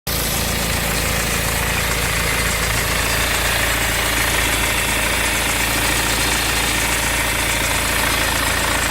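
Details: BMW 520d diesel at idle: busy, uneven metallic clatter over the usual diesel knock; suspected timing chain noise, not confirmed.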